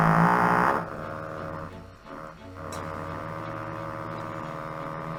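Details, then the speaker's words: 1934 Philco Model 45 tube radio at its first power-up before restoration: a steady low mains hum under wavering, warbling tones that drift in pitch; owner suspects leaky old paper capacitors, not yet confirmed. "with all those paper caps in there it's no wonder it sounds like crap I'm sure one of these is causing that"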